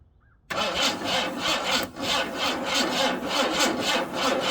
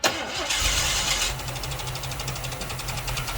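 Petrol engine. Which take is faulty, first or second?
first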